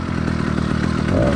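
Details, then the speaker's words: Cheap single-speed motorized bicycle kit two-stroke engine with single-circuit carburetor during cold warm-up after start: uneven, lumpy beat with skipped firings as it runs rich; four-stroking for the first 2–10 minutes is normal and expected. "the motor's warm-up phase four stroking is not only common it's expected so don't worry too much about how it runs for the first five to ten minutes"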